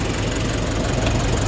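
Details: 2020 Nissan Urvan NV350 diesel after repairing a shorted wire at the bumper that caused P0642 no-start: steady, even idle with light regular clatter, no misses or odd noises; no DTCs, running normally.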